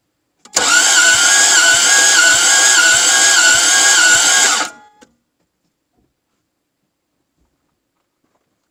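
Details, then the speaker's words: Toyota MR2 AW11, cranking during a compression test on the worst cylinder: slow, fairly even compression pulses near 100 a minute for about four seconds; it read 60 like the other cylinder, so low compression is suspected. "I'm gonna guess if that cylinder was 60 and this one's worse I'm gonna guess I'm gonna guess 42."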